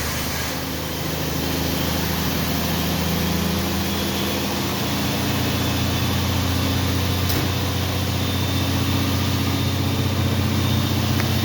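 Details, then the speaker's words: Cold start in rain with garage door closed, after fitting new plug wires to cure a miss; steady even idle with smooth low rumble and slight pitch change, idle high as expected — high cold idle. "Idle and high, of course."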